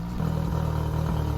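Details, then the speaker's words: Yamaha four-stroke outboard after carburetor rebuild and new fuel pump, pilot screws set from factory spec: low idle with slight stumble; one pilot screw off, found by turning each richer, top carb's screw adjusted to cure it. "I know there's a slight stumble left and one of these screws is just a little bit off I'm turning them one at a time Rich to see which one it is and then setting it back"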